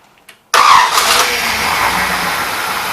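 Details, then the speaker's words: Freshly rebuilt 1961 Oldsmobile 394 V8 on a homemade engine stand, being converted to a 4-speed with a newly fitted transmission: short crank, catches at once and settles to a steady, even idle with no knocks and no transmission noise. "right up. Sounds good. No noise to the transmission."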